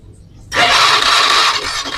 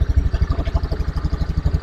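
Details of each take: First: Honda Beat FI scooter, hard-starting complaint: starter whirs about four seconds with faint, weak compression pulses and never catches; spark plug tip black. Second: Honda Beat FI scooter with hard-starting complaint, kick-started due to weak battery after engine reassembly, settles into an even, steady putt-putt idle with no knocks or misses; healthy idle.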